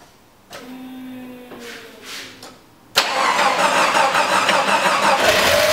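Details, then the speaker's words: Jeep 4.0 after low-oil-pressure repair with oil pump primed with petroleum jelly: cranks, catches quickly and settles into steady idle, no more loud rattle, about 60 psi oil pressure; sounds healthy. "good oh that's much better and we've got oil pressure wow that sounds much better"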